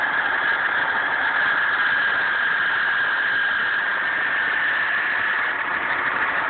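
Steady hissing rasp with a thin high whine over the idle, holding even with no rhythm; a grinding noise on a cold engine.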